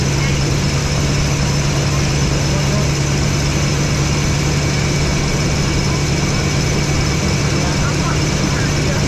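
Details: Chevy 3500 crew cab squarebody V8 after new spark plugs, with a small exhaust leak: steady low rumble at an even, smooth idle with no misses, stumbles or ticking.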